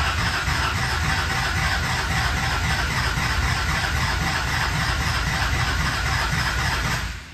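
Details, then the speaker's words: Newly built SoCal Diesel twin-turbo 1,000hp Duramax diesel at first fire-up: starter grinds in a steady rhythm, about four compression beats a second, no firing; owner suspects it's full of air; cause unconfirmed. "not quite firing yet I'm not sure why I think she's just full of air"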